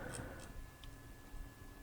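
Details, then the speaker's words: Arcturus LWT MK-1 AEG airsoft rifle, rotary hop-up chamber: a few very light, evenly spaced detent clicks in a quiet room as the dial turns down from the highest point (turning it up is smooth); normal hop-up detent clicking. "the hopup chamber itself is a rotary chamber and it does have a really really really really light clicking and detent to it but it's only when you're decreasing the hop up from the highest point"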